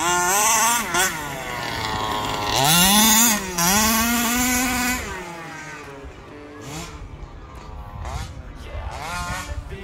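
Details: Rovan Baja 5B RC car, stock Rovan 29cc two-stroke with Rovan Dragonfly pipe, after won't-start troubleshooting and break-in heat cycles: high buzzy whine climbs and falls through hard revs, then settles to a lighter burble; normal, clean running.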